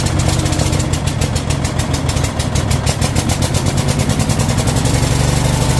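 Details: Troy-Bilt Mustang XP zero-turn mower, on choke: small engine catches and settles into a steady, even fast idle with regular firing and no misses or surging; running normally.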